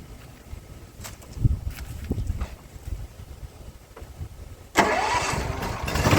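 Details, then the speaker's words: Troy-Bilt XP zero-turn mower after the loose deck belt problem was fixed: a quiet rumble, then a loud full-speed roar as the blades engage, holding without sagging. The deck works normally. "so you should have been able to hear that the blades came on full speed as they were supposed to everything sounds great"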